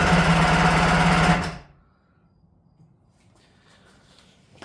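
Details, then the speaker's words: Kawasaki 550SX two-stroke jet ski, original reed motor with stage 2 port and dual 38 Mikunis, after full restore: quick even cranking about 1.5 seconds, no catch; won't fire, likely because low-speed carb screws were fully turned in. "Okay, I think that was it. The low screws were just completely turned in. So, I got them in a half right now."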